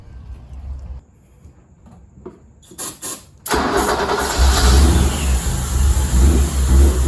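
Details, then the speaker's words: 1986 BMW 325e sedan, sat unused for 7 years and previously wouldn't start, revived in five minutes: brief cranking, then catches and settles into a steady low idle; normal start. "I bought it for cheap, and I was able to start it in 5 minutes."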